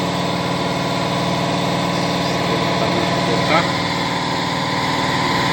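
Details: 2013 VW Fusca TSI: steady idle with a fast, uneven ticking rattle of about four per second. The new timing-chain kit didn't cure it; the intake cam phaser had excessive play even when filled with oil.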